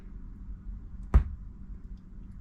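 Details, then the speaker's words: Marantz 6100 turntable: a single sharp pop from the speaker over low hum as the motor engages; a capacitor is suspected as the cause. "so I'm going to kind of show you where the pop is it's when that motor engages and then when it disengages"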